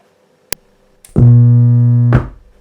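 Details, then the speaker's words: KRK Rokit 5 Gen 2 studio speaker (left), switching on: sharp click-pop then a low droning hum and crackles for about a second; repair involved replacing amp capacitors and relay. "so there is a big pop at the start which is terrible and there is a slight humming sound and crackles"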